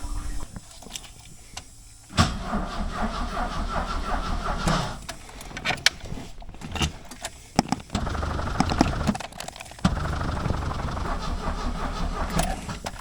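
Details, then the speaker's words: 1976 Alfa Romeo Spider: the starter cranks the engine at a steady, even speed, but it never catches or fires. The fuel pump runs and is audible, and the owner suspects no spark. Crank, no start, cause unconfirmed. "I'm not hearing a lot of sounds coming out of that engine let's he it acts like it doesn't have any like it's not sparking at"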